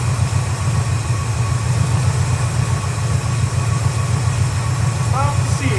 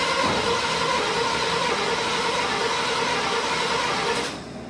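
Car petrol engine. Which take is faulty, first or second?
second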